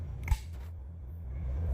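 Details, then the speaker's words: Wall light switch after repair: a single crisp click, then only low room hum with no hiss or crackle; previously hissed and crackled as if burning, now quiet and working perfectly. "Bem silencioso, funcionando perfeitamente."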